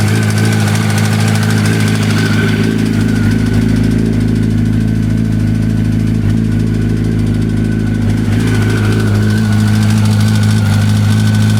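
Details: 2005 Yamaha R1 (5VY) engine at idle: a light, fairly even rattle and tapping at roughly three per second over the engine note; source of the knock unclear.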